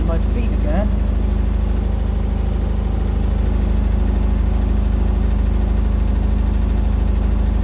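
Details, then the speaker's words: Indesit BWE101683 washing machine on an extra spin after a 1000 rpm push-and-wash: a deep, steady rumbling throb with heavy shaking underneath. Unbalanced spin vibration, which the owner believes comes from an uneven floor where the flooring has come out of its slot. "wow no way but i do believe that the ground is really unbalanced right underneath the washing machine"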